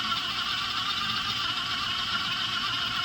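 A steady high whir from the drill settles under load with no surging; the purged pump is building pressure and driving the axle properly.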